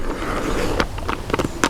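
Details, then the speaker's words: Model locomotive bogie with over 300 mm wheelbase, tested on outdoor track: a light rolling rattle broken by sharp squeaky scrapes as the very sharp, square wheel flanges catch the rail at the sharpest curve. "These flanges are very, very sharp and square, and they're just catching on the rail at the sharpest point."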